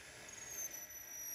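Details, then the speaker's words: 1980s National Panasonic NV-430 VHS deck, first power-on after years in an attic: faint thin high-pitched screech over a quiet whir as play engages; cause not yet found. "Ooh, screeching like... Oh, wow. I wonder what it's this noise here."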